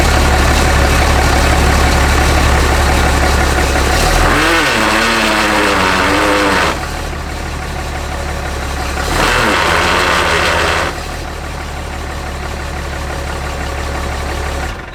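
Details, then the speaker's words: 6.7 Cummins truck: a steady diesel drone with a faint, even rubbing about four times a second that swells and fades with load. Owner suspects the transfer case and plans to remove it; source unconfirmed. "well as you guys can hear it definitely sounds like something uh kind of rubbing and i can't say that i ne i can't say that i noticed this the other day"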